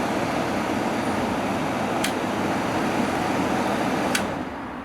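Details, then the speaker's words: Early-1980s Emerson Quiet Kool 7400 BTU window air conditioner, a dump find, in fan-only mode with compressor off: smooth, steady rush of moving air, no rattle, squeal or compressor hum; quiet, normal fan operation. "put it on fan only mode pretty quiet"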